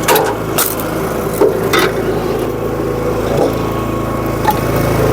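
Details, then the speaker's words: SuperSplit kinetic wood splitter: steady engine drone broken by sharp, uneven clacks about once a second. The rack skips on the flywheel drive when the handle isn't yanked up firmly; lowering rpm helps avoid it. "hear that skip I didn't yank up on it now this time"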